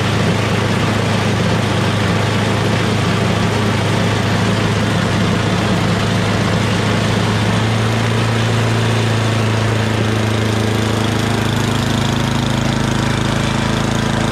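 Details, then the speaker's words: MTD Yardman 8.5 HP 26-inch dual-stage snowblower after a carburetor clean (pilot jet, bowl, emulsion tube): a steady, settled single-cylinder idle with no hunting or surging; surging fixed. "That's idle. That sounds really good. So obviously that's what it was."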